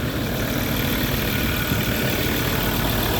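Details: Ford Ranger after a crank-but-no-start fault following a battery replacement was fixed: a steady low even rumble at idle with no misses or knocks. It is running normally.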